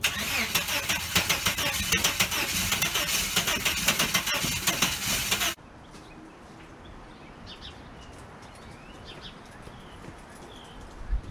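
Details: 1989 Chevrolet S10 Blazer, after everything was reconnected: starter churns about three pulses a second for some five seconds, never catches, stops; owner wonders about needing new cords, cause unknown.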